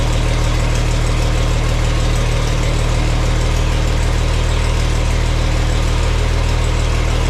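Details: Farmall 460 tractor, rebuilt engine, after installing electronic ignition and rotating the distributor to set timing: even, steady low rumble with no misses or knocks, idling smoothly; not quite as responsive when the throttle is cracked.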